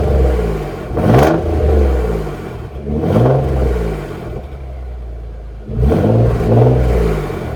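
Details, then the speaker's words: Nissan 300ZX twin turbo after sitting a long time, shifter bracket mod and fuel filter relocation: three clean throttle blips rising and falling back to a steady idle, deep even exhaust note, slight ticking, healthy running. "I love how that sounds I don't know about you guys but I've always liked that sound not the ticking but the exhaust always sounds really good on these on these twin turbos"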